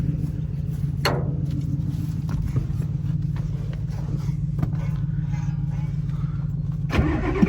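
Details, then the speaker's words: 1987 Ford F-350 diesel sitting 8 months, batteries charged about an hour, only about 9 volts while cranking, no ether yet: slow, dragging cranking about two turns a second with brief catches but no firing; long crank, no start. "All right, moment of truth. Ooh, we get like 9 volts. Oh, something's happening. That was close. No ether. Come on."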